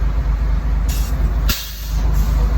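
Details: B10 bus with air pressure building back up: heavy diesel rumble with three sharp air hisses; handbrake won't release, owner thinks air pressure is a bit low; the system also has an air leak.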